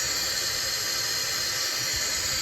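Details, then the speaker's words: 922B air brake system: steady, even hiss of air escaping from a treddle valve port in neutral, unchanged when the treddle is worked; treddle valve leaking and exhausting through the wrong port, cleaning planned. "But you can see when I put my finger on that port that there's uh air coming out of there. And it should not be coming out of there at all being the threddle valve in the neutral."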